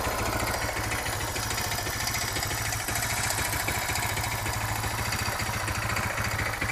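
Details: Suzuki DR650 single, long-standing sharp clacking about three per second, present in neutral and accelerating, fades on deceleration, returns at low revs; valve clearance and cam chain tensioner already checked, cause unknown.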